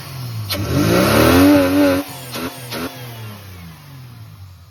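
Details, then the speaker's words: AU Falcon with a miss under decent or heavy load, after new leads, plugs, fuel filter, cleaned TPS and MAP, injectors refitted: a sharp throttle blip stumbles with uneven pops, then clears; intermittent misfire, owner narrows it to fuel pressure. "Yeah, there's the mess. There's a miss with like a sharp blip. But then it clears."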